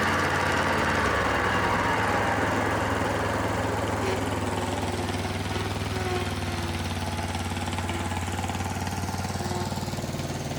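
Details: Kohler SV730S-0011 V-twin on a Bobcat zero-turn mower (Ransomes 942205): steady, even chug at working speed with deck blades spinning via the electric PTO on a severely cracked belt; no belt slap or squeal, running normally.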